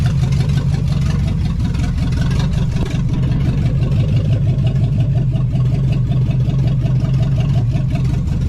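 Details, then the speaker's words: 1975 Chevy Nova, warm idle around 1000 rpm with 30 psi oil pressure after a vacuum line before the throttle was reconnected, fixing the high idle; deep smooth even rumble, no misses or knocks; normal idle. "so now as you can hear she's idling mint listen to that bad boy"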